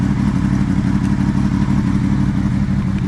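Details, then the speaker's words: Honda VFR800 motorcycle, bought from an auction and on its first ride, with a hesitation down low: steady low idle with an even whooshing hum as the electric cooling fan runs. Normal idle with cooling fan running. "oh you can definitely hear the electric fan just turn it off but let me turn back on draws it in from the side"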